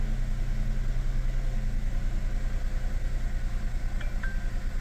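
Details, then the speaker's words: Chevrolet The Next Spark (M400) at idle after the camshaft position actuator valve was replaced: steady, even low idle with a regular pulse and no stumbles. The earlier misfire, shaking and power loss are gone. "캠샤프트 포지션 액츄에이터 밸브 교환 후 엔진 부조와 출력 부족 향상은 없어졌습니다"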